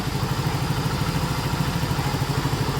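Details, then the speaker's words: Yamaha Mio Gear scooter after an engine rebuild following oil starvation, oil circulation confirmed: an even idle pulsing about seven times a second with a light whirring rattle, the normal sound for this scooter. "Ya, ini suara khasnya, Anda tahu. Agak berisik, suara mendesing atau berderak."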